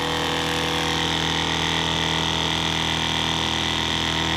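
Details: Small one-gallon-per-minute water pump filling an RV hot water tank during a bench test: steady high electric hum with a fast, even motor buzz and no knocking or rattling; running normally.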